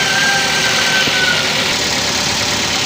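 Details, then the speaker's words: Used car engine warmed to idle (about 800 rpm after roughly 2 minutes): steady, even "greng" idle with no hunting up and down and no misfire stumble; healthy engine, normal idle. "Oke dalam kondisi langsam atau idle itu bunyi mesin itu stabil ya greng gitu Ya stabil tidak naik turun tidak merebet-bet ya"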